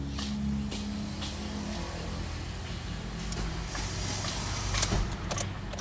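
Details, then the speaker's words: Car after fixing a cylinder 4 misfire found by scanner and clearing the check engine light; steady, even low idle with air conditioning on, no stumble or shake. Normal idle, check engine light gone. "Alr, nawala na rin. Ayan, maganda na yung kanyang idle oh. kahit naka-aircon Ja."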